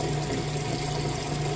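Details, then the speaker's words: Whirlpool top-load washer moving from wash into rinse cycle: steady low drain-pump hum with water rushing through, smooth and quick with no grinding or rattle; normal drain pump operation. "It's going to kick over and drain that water out. Give just a sec here. You can hear it draining that water."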